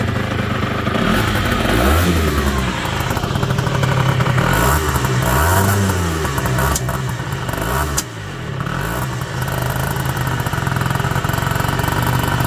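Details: Peugeot Ludix/Speedfight two-stroke after engine rebuild: revving up and down with uneven spitting pops through the exhaust as revs fall. Engine popping, cause unknown.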